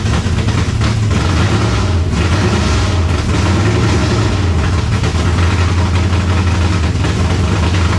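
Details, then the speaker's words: 1970 Chevelle V8 with Holley Sniper 2 fuel injection, first start while setting the timing: loud, deep idle with an uneven, loping beat that never smooths out; rough idle, timing suspected still off, possibly IAC settings. Not confirmed. "Alright, to me, it sounds like our timing is still off."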